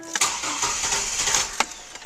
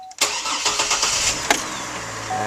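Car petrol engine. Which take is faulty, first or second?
first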